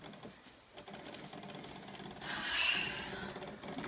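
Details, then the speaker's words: PS3 disc drive making rapid mechanical clicking and gear-like buzzing, rising to a harsher whirring burst, only when continuing The Last of Us; screen goes black and console must be unplugged; other games work fine. "and then you can hear that like a buzzing sound and the screen looks like this and then it turns black sea and buzzing goes"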